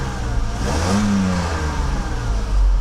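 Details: Mercedes W126 300SEL after fuel-float (gauge sender) replacement, engine test: picks up cleanly with a smooth rising note and settles without stumble or misfire; compression about 11 on all cylinders, crisp, healthy free rev.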